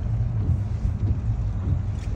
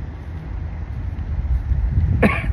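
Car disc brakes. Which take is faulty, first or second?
second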